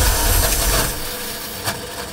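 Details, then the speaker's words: Revived Dodge, cranking: harsh, rough grinding churn that fades without catching, starter sounding bad; starter grinding while cranking, cause unconfirmed. "god that starter sounds bad"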